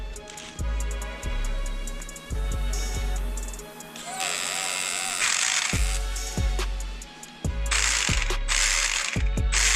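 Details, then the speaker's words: Neglected, rusty RC car that was initially seized: bursts of rapid ratcheting clicks as the motor spins, gears slipping because the shift servo isn't travelling all the way in, so the transmission doesn't engage. "sounds like the transmission isn't engaging you can see the servo is not going all the way in"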